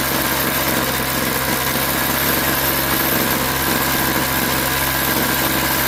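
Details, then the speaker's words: Craftsman 21cc Bushwacker two-stroke hedge trimmer, warm restart after sitting about a year: high, buzzy drone holding steady without stumbling or sputter; engine runs and operates fine. "Sounds fine. And yeah, so it runs fine. It operates fine."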